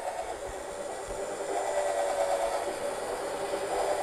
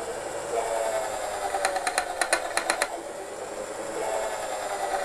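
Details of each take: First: 2 mm high-speed-steel twist drill on stainless steel: a smooth, steady high whine with no chatter, meaning the bit is slipping and not cutting; the rattling sound indicates cutting. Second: 2 mm high-speed-steel twist drill boring stainless steel with proper pressure and speed: steady motor hum with short bursts of quick, even rattling, about five a second, the bit cutting properly rather than slipping.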